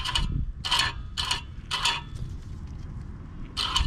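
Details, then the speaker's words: 2008 4Runner (4th gen), rear hub turned by hand during rear caliper, rotor and pad replacement: sharp metallic ticks, one per stud, from the loose top of the parking brake spring touching the back of each stud. "see that right there that top part of the spring came undone and it's just touching the back of each stud so every single time I move it"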